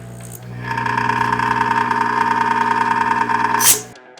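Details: Hygger aquarium air pump, previously near-silent, buzzing loudly for two days with a steady pulsing rattle; suspected worn or ruptured rubber diaphragm, unconfirmed.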